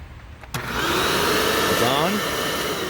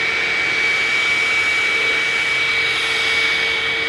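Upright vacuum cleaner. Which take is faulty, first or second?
second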